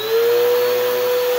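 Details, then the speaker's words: Bissell vacuum cleaner before repair: only a clean, steady motor whine with no brush thrum, because the beater roller isn't turning due to a broken drive belt. "this side no roller do we we got no beater going on"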